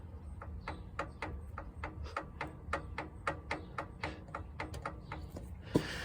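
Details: Kohler garden tractor engine at low idle: crisp, even ticks two or three per second over a low rumble; source not yet pinned down; a small oil leak is also noted.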